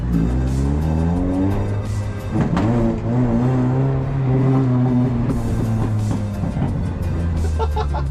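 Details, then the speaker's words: 2001 Toyota Corolla 5-speed 1ZZ Lemons race car pulling away with muffler removed for alignment work: loud, raw, raspy exhaust rising and falling with throttle, straight-through, with a backfire noted. Loud exhaust, muffler removed. "It sounds like a race car without the muffler."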